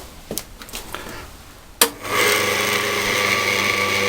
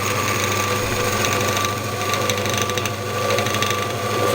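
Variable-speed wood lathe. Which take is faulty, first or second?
second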